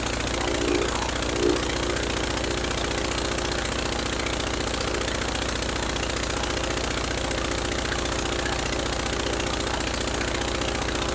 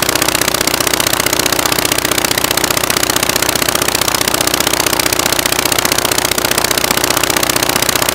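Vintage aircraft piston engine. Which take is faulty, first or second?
second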